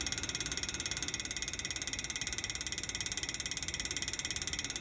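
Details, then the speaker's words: PTAC unit fan running: sharp, very even ticking about three times a second, once per fan revolution, blade balance clip striking something; stopped after moving the clip; fan balance clip ticking. "that noise cuz it looks like don't wash that thing looks like every time that balance thing comes around and making that tick boys take-take-take"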